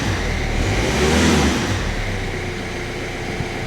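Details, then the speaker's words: Stolen-recovered Kia Rio bought at auction with no keys, running on a newly coded key on a freezing day: quick, clean rev that rises and falls smoothly back to a steady idle with no knocks or rattles; sounds brand new. "sounds like it's brand new this thing what a cracking little car"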